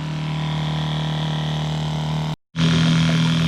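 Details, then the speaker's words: Small one-gallon-per-minute water pump filling a six-gallon RV hot water tank on a bench test: steady low electric hum at even pitch, no surging or rattle; running normally. "listen to that pump run until this fills up so all right all right"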